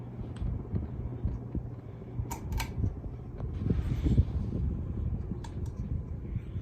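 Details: CEC Casablanca Mercury copy ceiling fan running: a steady low motor hum with a rough, uneven growl from bad bearings. The reverse switch also acts up.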